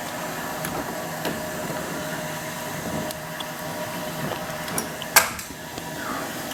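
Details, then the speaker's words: Toilet tank refilling after replacement with new Fluidmaster universal fill valve: soft steady water hiss with a few light clicks, no squeal or whistle; normal fill. "Now it's filling. All right, and that's what I was telling you. If I show it to you here, so you see the water is going into the fill pipe via that little hose there."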